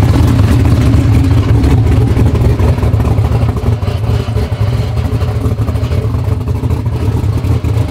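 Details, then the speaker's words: Street Corvette Z06 (2000hp build), not driven in about a year: heavy low idle with loose metallic clatter from a billet RPM torque tube rattling at idle, not the engine; goes away as soon as it comes off idle. "all right guys if you guys hear a hellacious rattling sound it is the torque tube in that car it's got some like ridiculous billet rpm torque tube and that's what you guys are hearing so as soon as it comes off idle it goes away"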